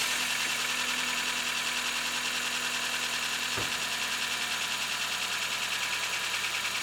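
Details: Freshly rebuilt 7AFE engine in a 1994 Toyota Corolla, cold-start idle: an even, steady idle with a smooth, regular pulse and no knocks or misses. It runs cleanly.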